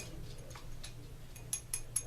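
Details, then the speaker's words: Garcia Mitchell 304 open-face spinning reel during disassembly: quiet, sharp, even ticks at a few per second as the spool's bottom clicker rides the axle-shaft gear in drag; normal drag clicker. "If you look at the bottom of the spool, you've got your clicker on the bottom, and this gear right here on your axle shaft is what provides the clicking sound when you're in drag"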